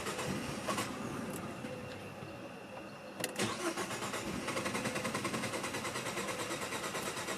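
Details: 2018 Jeep Compass that won't start again: starter cranks the engine over at a steady beat, pauses, then cranks again without the engine ever catching; it cranks but won't fire.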